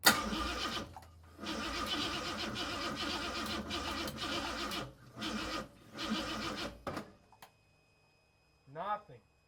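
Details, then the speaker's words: Dump-sourced free carburetor fitted: several short cranking bursts at about four per second that never fire; cranks but won't start on weak batteries after fuel fill, raw gas pouring from pipes; owner suspects flooding from bad floats. "Whoa, I filled it up with gas. Now it does nothing. On top of the batteries not being that good, I definitely flooded the crap out of it."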